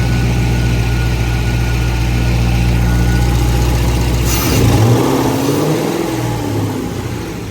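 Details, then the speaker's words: LS-swapped BMW E30 M3 just got running: smooth revving, then a wavering mid-pitched whine from the transmission; fluid was never checked, so owner suspects it ran without transmission fluid. "He got the car running really good, but there is a noise coming from my transmission, and I made the stupidest mistake."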